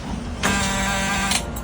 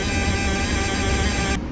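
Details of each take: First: Sailboat diesel that became hydrolocked with seawater, cranked after water was dumped from a cylinder: about a second of strained, sluggish starter whirring that never catches; slow cranking, which the crew suspect is a low battery after repeated cranking. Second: Sailboat Ford Lehman diesel, started first try and idling: steady, even rumble with smooth low beat, no knocks or misses; healthy engine settled at idle.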